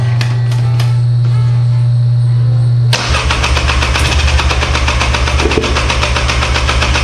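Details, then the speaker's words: 1997 Polaris Scrambler with new spark plug: steady starter whir then ragged, irregular firing that never settles to idle; not getting fuel, carburetor later found full of water and cleaned. "here it's definitely trying to start it's not getting gas it sounds like a giant turd"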